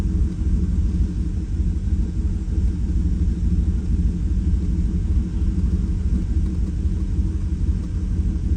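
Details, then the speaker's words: 2018 Chevrolet Silverado V8 with a cylinder misfire and the engine reassembled after injector 6 was moved to cylinder 1 to see whether the fault follows: deep, lumpy idle with an uneven stumbling beat about three times a second; still misfiring, cause unconfirmed. "Sigue fallando, pero precisamente moví los inyectores de lugar para que Mmm mi falla."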